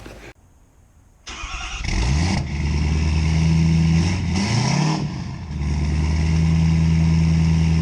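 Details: 2017 Ford F-350 6.7 diesel rebuild, straight-piped five-inch exhaust, no intake fitted: catches after a crank and settles into a loud, deep, even rumble with smooth revs, no knocks or misses; healthy running.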